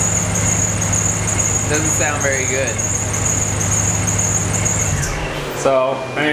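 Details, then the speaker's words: Truck with ProCharger supercharger, serpentine belt about 3,500 miles old including a track day, at cold start: steady piercing high squeal over idle until warm; worn slipping belt near end of life, heavy belt dust. "It squeals quite a bit just when it starts. I guess it's not completely shot, but it is kind of annoying. When you start the truck, you get kind of this squeaky belt sound until the truck warms up"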